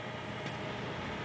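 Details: 1970s Sharp microwave oven, free and working, heating a cup of water for 1 minute in a garage with a heater running behind: steady even hum with soft fan rush, no surging or buzzing; cooking normally.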